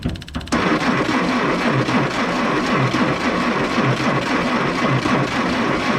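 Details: M718A1 ambulance Jeep cranked on two hot batteries after reassembly: starter grinds steadily with a rough, uneven turnover and never catches; no start.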